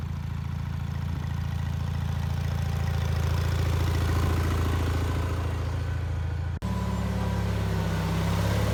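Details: Bolens HT20 garden tractor on a test drive after repairing a flat rear left tyre; even, steady engine beat with no knocks or misses and a brief cut midway, running nicely.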